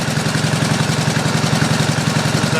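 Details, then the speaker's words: Pump engine on a 1989 Ford F-350 brush truck, running the carburetor bowl dry for storage: steady idle turning slightly uneven as the float bowl empties, shortly before it dies. Running out of fuel. "well eventually it's going to run out of fuel here should pretty quick it's probably just about to that"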